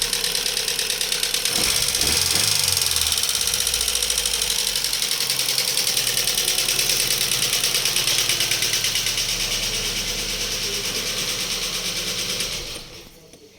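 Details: Daewoo Lanos petrol engine idling: sharp steady valvetrain tick about three times a second from hydraulic lifters, persisting after owner replaced them; a plug had fallen out of the oil channel, so oil pressure wasn't reaching the lifters.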